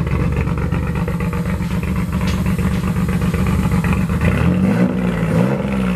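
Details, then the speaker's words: J32-swapped Honda EK Civic coupe with new junkyard single-turbo manifold and exhaust, idling: uneven, lumpy beat drifting near end; rough idle, suspected from unplugged EGR valve and an exhaust flange/V-band leak, not confirmed. "I also think it doesn't like that the HDR valve is not plugged in. That could be a huge part of it."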